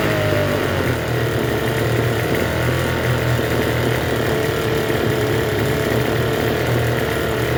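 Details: Troy-Bilt TB272V two-stroke leaf blower after turning the single-D half-moon carburetor mixture screw out about one and a half turns: steady, even buzz with no dips or stumbles, holding a fast idle; runs but idles a little high.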